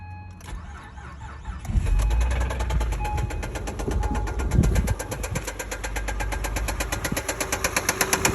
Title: 2005 Acura RL Engine Knocking Noise w/ Acceleration at End